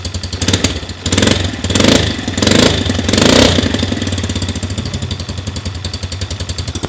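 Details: 50cc four-stroke kids' mini motocross bike, electric start with key and brake: a few quick blips then a steady, even, fairly quiet putter; normal standard four-stroke idle.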